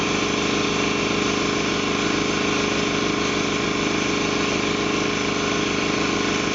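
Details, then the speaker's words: Ingersoll Rand T30 2475 7.5hp upright compressor, 80 gallon tank, set at 175 psi: smooth steady pumping thump with constant motor drone, check valve heard, no air leaks; running normally. "as you can see it is set at 175 psi right now you can hear the check valve it's fully released now as you can hear there's no air leaks no issues nice clean air compressor"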